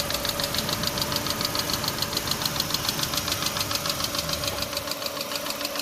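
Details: 2006 Chevy Aveo LS at idle: steady, even light tick about 3.5 per second over a smooth idle; top-end engine tick, cause not pinned down.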